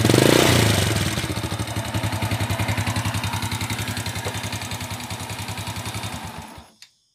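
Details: Honda Supra Fit used for hauling palm fruit, also smoking heavily: heavy rapid metallic clatter about 220 per minute over the idle, stopping with the engine; worn rocker arms and camshaft.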